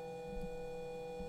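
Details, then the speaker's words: DIY 2DOF motion simulator servo motors driven by Arduino Uno PWM at about 490 Hz: constant pure tone near 490 Hz over a faint hum, motor coils vibrating at the switching frequency; fixed by moving to an STM32 F4. "by default the Arduino sends this signal at around 49 90 HZ so that's really Audible and that's actually the noise that you will hear that it's the coils that are vibrating in that frequency"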